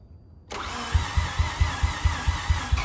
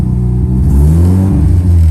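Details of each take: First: Rebuilt Mazda FD RX-7 rotary, under 100 miles since rebuild but sat a while, low compression with possible leak: catches on crank, runs ragged and lumpy several seconds then dies; MAP sensor hose later found disconnected from upper intake, cause not confirmed. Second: Rebuilt Mazda FD RX-7 rotary after fixing bad MAP sensor connection: engine climbs and settles smoothly on throttle blip with no stumble or lopey misfire; running on both rotors again, water temperature good.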